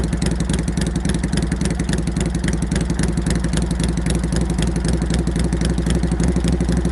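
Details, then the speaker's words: Normal running of a Harley-Davidson Shovelhead road bike with an SU carburetor, just reassembled with new exhaust pipe extensions: a loud, lumpy V-twin beat at steady idle, raspy through open pipes but even; healthy engine. "That's my idea of what my shovelhead should sound like. If it sounds a little nasty and raspy, it's only because it is, but it's basically my road bike."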